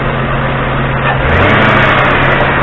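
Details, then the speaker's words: 2003 Lincoln Town Car, 51K miles, warm at operating temperature: smooth, steady V8 idle burble, no misses or ticks; vacuum gauge at throttle body/intake port reads 21 in-Hg, same as the Crown Vic, at 466 ft altitude; normal warm idle. "well of course we lost it for a second but having a look-see our readings are about the same as the crown vic"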